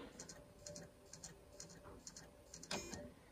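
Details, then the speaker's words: Nintendo Wii with Donkey Kong disc inserted, drive failing to read: faint paired ticks repeating about twice a second over a quiet hum as it keeps seeking, then an error; disc drive suspected bad and replaced. "and you can even listen in here that doesn't sound good so my guess is the disk drive is bad"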